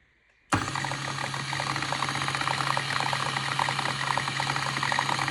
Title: Mahlkönig X64 SD strange noise